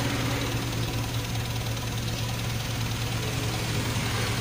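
Idle has a steady low drone broken by an irregular, lumpy beat and light knocking, the rough stumble of a misfiring cylinder.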